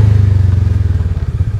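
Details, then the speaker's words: Polaris Ranger 570 UTV in low gear on a slight downhill incline, throttle released: low, pulsing engine thrum loosens and turns uneven as revs fall and the CVT clutch lets go of the belt, feeling like neutral, with no engine braking. "the rpms slow down it feels like i'm in neutral and if i let this go it's just gonna keep accelerating quicker and quicker even though i'm in low gear"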